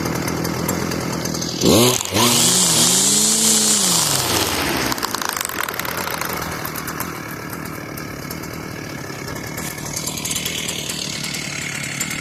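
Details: Stihl FS450 brushcutter after replacing the seized clutch drum bearing, circlip fitted: small two-stroke revs up sharply with a high buzz, then drops back to a steady idle without grinding; runs normally.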